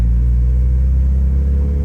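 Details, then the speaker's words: Honda Civic SiR B16A freshly rebuilt with 81.5mm ARIAS pistons, on its maiden drive; deep even rumble holding steady under way, quiet, no knocks, ticks or whine; smooth, healthy-running engine. "it's actually quite fun to drive you know because it's quiet not too noisy look I mean listen sounds good see it sounds really good it's not too noisy"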